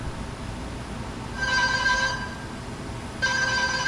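Two bursts of a bright warbling telephone-style ring, each about half a second, the help-call alarm sounding as it should.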